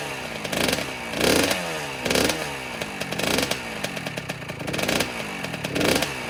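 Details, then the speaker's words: 2009 Kawasaki KX85 two-stroke after rejetting to 140 main and 40 pilot, up from 135/35: crisp blips up and down about every second, clean revs, no bogging or spitting. Now running healthy. "Well, it sounds like it's running a lot better, so that's good. That's how it's supposed to sound."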